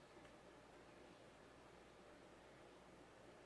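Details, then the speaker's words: CEC-made 36-inch white and polished brass spinner ceiling fan on low speed: soft, steady hiss of air with no grinding, ticking or rumble, and quiet bearings despite the filth. No wobble on low. Normal running. "Fan is really quiet too. The bearings aren't noisy at all, which is surprising considering how filthy it was."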